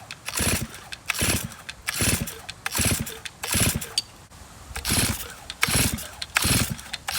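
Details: 2023 Stihl MS500i fuel-injected chainsaw brought in with starting and running issues, run while holding the stop switch. It revs up and drops back in repeated bursts about once a second and now sounds better. The cause of the poor starting and running is not yet found.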